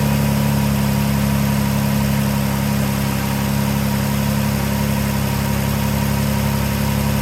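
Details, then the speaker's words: 2012 Dodge Journey 3.6L V6 at idle, just after thermostat replacement for code P0128, not yet warmed up, on a chilly day: steady, even idle with a faint, fast ticking puff underneath; owner notes an exhaust leak underneath. "As you can probably hear, there's an exhaust leak underneath there, so that'll be the next thing I'm going to have to get onto, but might leave that till the springtime because it's chilly cold out here, that's for sure."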